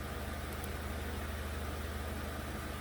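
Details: 2011 Chevy Aveo 1.6 four-cylinder Ecotec idling in drive with a P0300 random misfire and no check-engine light: an uneven, stumbling beat over a steady hum. The misfire was traced to cylinder 2, caused by a defective new coil pack.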